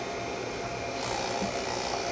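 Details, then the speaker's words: 1965 Sony-made GE-badged CV2000 half-inch reel-to-reel black-and-white video recorder, drum switched on: steady smooth high whir with faint constant tone, no scraping; drum and capstan spinning normally, belts good. "But at least we know that the capstan's spinning, so the belts are good, the drum is sp"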